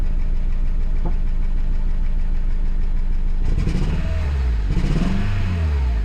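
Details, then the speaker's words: Van with check engine light and code P0302 (cylinder 2 misfire), surging while driving: the idle thumps unevenly, stumbles and dips as if about to stall, with no power. This is a rough idle from a misfiring cylinder. "as you can see I started it and it's got a rifle idle on it no power"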